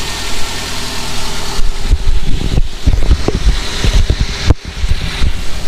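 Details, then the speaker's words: Toyota Avanza idling: the AC compressor is very noisy and cuts in and out repeatedly, especially with a hot engine at standstill, and it cools poorly. The AC part is not original. "kalau ACD nyalain si kompresor AC Itu berisik banget Nah suaranya kayak gini dan ini enggak jadi ke dalam juga enggak terlalu dingin tambah kalau posisi lagi panas e mesin panas kayak di lampu merah standby gitu e kompresor itu gak Diam jadi on mati lagi on mati lagi kayak kayak gak kuat dia"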